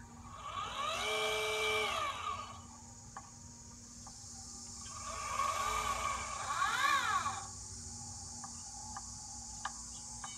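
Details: Celestron Advanced VX mount, about 20 lb payload, well balanced: motor whine from two short slews, then sharp evenly spaced knocking/clicking that fades once it settles; clutch adjustment made no difference, cause unknown.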